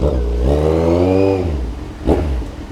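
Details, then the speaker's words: Kawasaki Z1000 after ECU remap and dyno tune, road test: inline-four pulls cleanly through the revs with a steady rising tone, no burbling or misfire; owner notes the earlier popping sound is gone. Smooth acceleration. "Grabe, sarap ng tunog. Sayang lang, di pwedeng ihataw."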